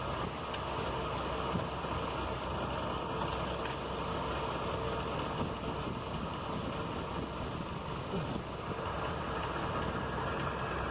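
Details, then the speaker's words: Vehicle idling with a steady airy hiss when the brake pedal is pressed, from a vacuum leak in the brake booster, likely a ruptured internal diaphragm. "Esto es debido a alguna fuga de vacío en el boster de frenos. Este elemento absorbe el vacío del motor para potenciar la fuerza de frenado que tú aplicas con el pie."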